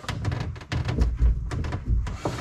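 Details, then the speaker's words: Argo ATV drive axle being rocked by hand: dull clunks in uneven bursts, shaft and sprocket visibly moving, from play in the worn exterior (outer) axle bearing, which is to be replaced. "this one here probably the exterior bearing listen to this you can hear this really well you can even see the shaft see that sprocket moving right here and so this exterior bearing is going to get replaced"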